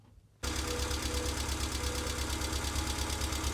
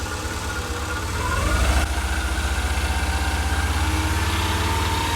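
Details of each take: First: Subaru EJ22 after engine reinstall, warmed up a minute, oil level checked: catches and idles with a light tick about three per second, better than before; sticking hydraulic lifters, plus a new noise suspected from a timing belt roller. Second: Subaru EJ22 boxer engine after reinstallation, foot held against it: blips and settles into a steady even idle with no metallic rattle or tick; ticking noise solved.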